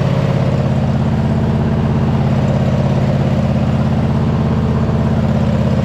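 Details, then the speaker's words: MTD White Outdoors zero-turn mower, sat 3–4 years, after hydro linkage adjustment for full forward speed: steady, even low thump at fixed speed, no misses, knocks or rattles; engine sounds healthy and runs decently. "I'm excited the engine sounds healthy it seems to be running pretty decent our Hydra seem to be good so yeah we're making good progress"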